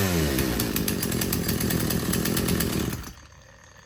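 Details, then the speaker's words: Husqvarna chainsaw being rebuilt after not running, disconnected fuel hose just reattached: loud, buzzy two-stroke run, rough and uneven before dropping off, okay only at wide open; stumble on acceleration from rich low-speed mixture. "once I revved It Wide Open you can see the high-speed jet took over and it seemed to run okay then but it's just uh revving up throttling from nothing or from idle up to highp speed seems to stumble"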